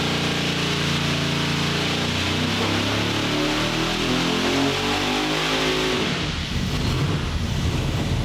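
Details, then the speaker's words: 903 cu in Hemi on the dyno, naturally aspirated before a 140 mm ProCharger is fitted: wide-open pull that breaks up and drops off near the top; power is broad and flat but falls off high because it lacks the right camshaft. "It's not got the right camshaft in order to make this work up here, and that's fine. But so it's making it's got broad, flat, and it just kind of falls off out here."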